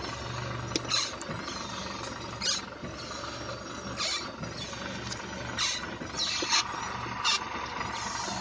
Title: Xray скрип подвески 2